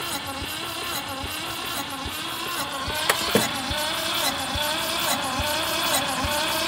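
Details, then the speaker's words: 1971 MGB pulled from the woods after 20 years, cranking on the starter with radiator off: about four beats a second of uneven strength, okay compression on some cylinders but not others; owner suspects stuck valves. "all right so as you as you saw spun over okay has okay compression on some but not on others so if everything sounds good so far but I think we've got some stuck valves"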